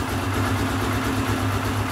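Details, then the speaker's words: Air-cooled ~149–150cc single idling cold, low and uneven with a wavering beat. Fine once run a while, but bogs a little when warm; dealer says an adjustment screw sits under the carb bowl. Cause unconfirmed. "So that doesn't sound like a very good idle there, but once you run it for a while, it's fine. It's really strange."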